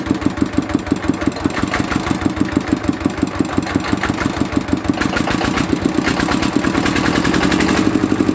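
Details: Mitsubishi D-series single-cylinder diesel idling after repair of fuel leaking into the oil sump and white smoke (pump plunger, valve and seal replaced): even thumping about five beats a second, picking up slightly near the end; regular, healthy firing.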